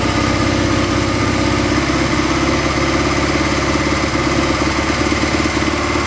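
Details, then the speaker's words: Craigslist Honda Twinstar idling after about an hour of carb tuning, with the mixture richened at the pilot screw after lean running and fresh gas added, at 60°: a steady, even low putter with no misses or hunting. A normal idle. "okay it took about an hour to get it tuned up it looks like uh it's running pretty well"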